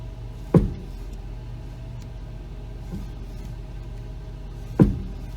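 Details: 1991 Mercedes 500SL R129, 38,852 miles, warmed about three minutes, turning at low speed: two sharp clunks about four seconds apart over steady low idle; front-end steering knock, likely passenger side, cause still unknown.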